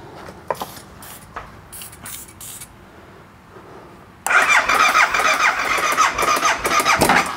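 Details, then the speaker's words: BMW motorcycle being diagnosed for a fuel pump fault: a few short cranks, then it catches and runs raggedly only on sprayed brake cleaner; fuel starvation, owner suspects the fuel pump, relay or a fuse. "oh there we go all right so it does run does seem like it's not getting gas so let's dig in and see if we can find any information about this fuel pump relay"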